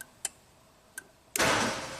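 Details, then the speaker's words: 1999 Genie Z45/25J lift, Ford LRG-425 four-cylinder fuel-injected engine, wire moved to pin 9: two light clicks then firm click as ignition/fuel relay pulls in and pump whirs; relay switching properly. "hey, and click. So yes, now our ignition start module is actually turning on the ignition fuel relay."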